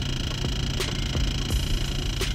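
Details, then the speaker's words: Dodge/Chrysler 300 Hemi parked, fans off: irregular sharp ticks, about five in under three seconds, over low cabin hum; intermittent dashboard ticking that started today, first linked to doors opening, possibly from a speaker. Cause unknown. "but now as you can hear it just seems to be an intermittent issue uh and it just started started today so i don't know what the heck it is i do know that it's annoying as hell and it needs to be fixed right away"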